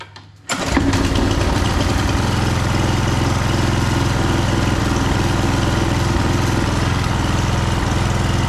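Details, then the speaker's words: Husqvarna HU 625HWT string trimmer after repair and cleaning, with a new front bolt and nut, started after a couple more primes: catches at once and settles into a steady, even low putter with no stumbling; normal start and idle. "And let's see how it starts. Needs a couple more primes. Never know how many to give it."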